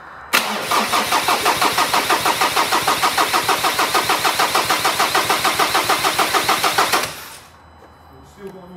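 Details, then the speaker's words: 2013 Ford Ranger 2.2 TDCi, newly fitted recon (reconditioned) engine with all four injectors unplugged: even starter churn of about six compressions a second for seven seconds with no firing, cranking to build oil pressure before first start. "all four of those injectors unplugged and chris is just gonna try and build up a bit of oil pressure"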